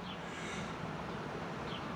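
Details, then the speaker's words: MaxxAir MaxxFan/Fantastic Fan RV roof vent on a 2019 Rpod 180, after the motor housing was disassembled and repaired: steady, soft rush of air with even tone and no squeak or ticking; whisper quiet, squeak fixed. "whisper quiet baby love it"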